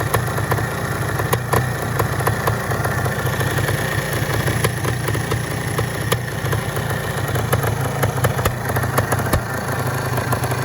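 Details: 400 DTMX SM two-stroke engine at idle: steady, low, even popping beat with no knocks or rattles; engine in fairly good condition; normal idle.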